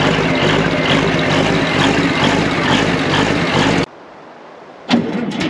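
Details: Old excavator abandoned for years, diesel cranks briefly and catches into a rough steady rumble, stops, then fires again on two new batteries; normal start.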